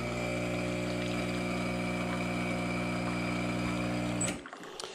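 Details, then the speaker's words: Profitec Pro 600 espresso machine vibration pump during a shot: steady, even low hum with a light buzz, smooth and a bit more muted than the Expobar Brewtus IV; running normally before cutting off. "the pump is a little bit quieter on the 600 mean it's not night and day but it just feels more muted like it's smoother a little bit"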